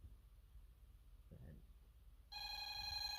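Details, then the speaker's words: Bosch GV2 alarm panel, zone 2 tripped as carbon monoxide: a quiet room, then a continuous, unbroken electronic ring holding steady, the solid sounder pattern this panel uses for a carbon monoxide alarm. "Yeah, it's just solid for carbon monoxide so go ahead and silence it."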